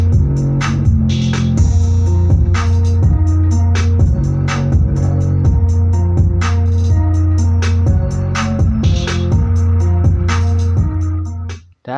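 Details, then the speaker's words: Salsa active speaker with boomy bass, transformer mounting bolts found loose and tightened: subwoofer plays music with deep firm bass, no buzzing, rattle or crackle; clean bass output. "suaranya sudah tidak semper lagi. Selanjutnya akan saya pasangkan ke bok dan nanti kita cek sound lagi apakah sember ataukah tidak."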